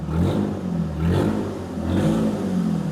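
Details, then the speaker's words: Firebird after sitting 20 years, straight-piped, just revived by tapping stuck injectors: loud open exhaust blips up and settles about three times, pulling cleanly; good oil pressure, normal revving. "Blake, your Firebird is alive! It's alive! We did It's alive! That's so good. It sounds great straight piped, I gotta say. Give it some revs, dude."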